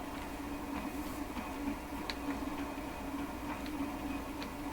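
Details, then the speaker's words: Seabreeze Model 968 tabletop record player during checkout, volume turned up: only faint mechanical ticking and a low hum from the changer, with no music or speaker sound at all; no audio output. "Let's turn it up and hear what we hear. I don't hear a thing."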